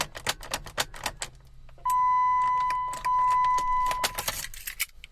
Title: Jeep freak out won't start